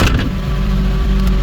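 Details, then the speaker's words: Kia Carnival converted from diesel to a 6-cylinder 3-litre petrol engine, freshly started after the swap: brief throttle blip then smooth even deep hum, no knocking or misfire; normal rev, no detonation. "Xudo xolasa yurishlari tekis. Detonatör degan narsa yo'q. Tanga qo'ysa tanga turadi xudo xolasa."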